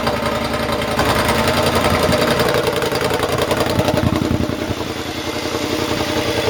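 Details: Triumph motorcycle with newly fitted rebuilt exhaust revved: revs rise and fall with light crackles and pops on the overrun; running lean because the air injection system (AIS) is still connected.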